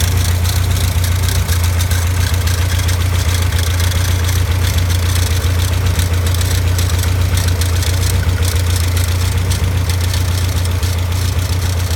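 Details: Caterham Super Seven at steady low idle: fast, fairly even metallic rattle, about four per second, from a worn alternator bearing.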